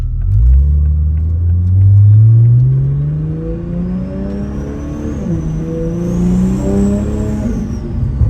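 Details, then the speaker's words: Toyota Supra A90/MKV 3.0 with newly installed 65 OMEGA (T51R) turbo kit, after leak check: revs climb and drop with a clear rising turbo whistle over the exhaust; pulls smoothly, healthy. "so you want to hear what t51r sounds like let's try"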